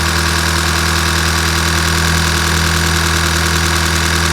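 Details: 2012 VW Golf GTI Mk6 2.0 TSI, first start after full engine rebuild with new chains, open exhaust cutout, no coolant yet: loud idle with a slightly uneven, lumpy beat of about three pulses a second; rough idle.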